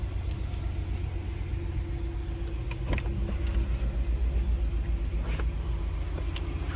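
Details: 2022 Jeep Grand Wagoneer Series III 4x4 with 12,103 miles, still under warranty, just started: low, smooth idle with an even, steady rumble and no ticks, knocks or misfires; a healthy engine.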